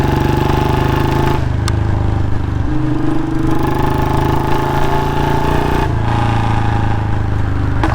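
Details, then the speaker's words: Royal Enfield Bullet Standard 350 single-cylinder, before repair: steady thump with a sharp puffing tick on each beat, louder than normal; exhaust leaking at the front pipe joint, new packing to be fitted. "हल्की सी आवाज leakage हो रही है इसलिए proper आवाज नहीं आ पा रही है"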